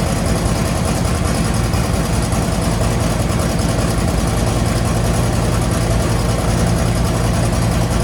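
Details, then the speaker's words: 1963 Chevy Impala V8 after fuel and carburettor work, with idle turned up: a deep, steady, even idle with no miss, hiss or knock; the owner says it runs a lot better. Normal idle. "so so i think right about four it does pretty well um it sounds pretty good"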